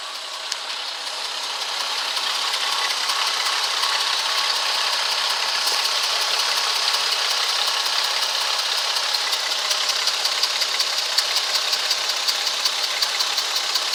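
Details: 2004 Ford Freestar idling a little rough with fast, even light tapping, about three a second, and a rising hiss; cause unknown. No codes, drives fine. Plugs, wires and coil were replaced, and the fuel filter was replaced after the noise started.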